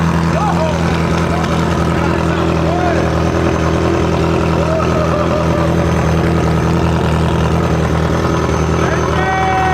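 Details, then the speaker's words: Ferrari F355 V8, flat-plane crank, first start after rebuild and oil priming, running without exhaust after flooding on starter fluid; loud raw even burble, no misses, all eight firing cleanly, healthy idle. "That's it, baby! It sounds so sick. That does sound really good."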